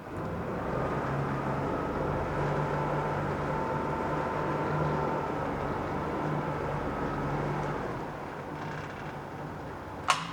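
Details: 2014 Yamaha 70hp 20-inch remote-control outboard with 1,500 hours, running in reverse: a steady, even drone with a constant low hum and no knocks or surging. Any rattle comes from the foam-filled fuel tank, not the engine. Normal reverse running.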